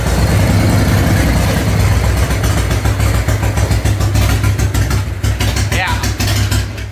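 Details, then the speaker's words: 1997 Harley-Davidson Fatboy Evo V-twin, carbureted, cold: rough, uneven idle that sags and dies once the choke is let go, after carb cleaner spraying; bad intake air leak, owner says it has always needed choke held. "let go of the choke bike dies um this obviously has an intake leak it's really bad"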